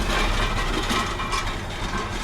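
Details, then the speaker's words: Vaderstad Top Down tined primary cultivator demo pulled by an 8RX in very hard dry ground: loose, continuous clattering rattle over the working drone from the black packer scrapers between the yellow rings, deliberately set loose; normal scraper rattle. "the rattling you can hear are the scrapers you can see those black scrapers at in between the yellow rings and just see them moving about and they set them loose on purpose"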